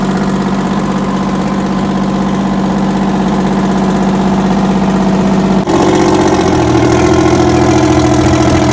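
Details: 60-year-old Massey Ferguson 98 tractor with factory Detroit Diesel GM 3-71 two-stroke engine, after restoration: steady, even diesel chug at idle, then picks up to a smooth higher speed without missing or knocking; healthy.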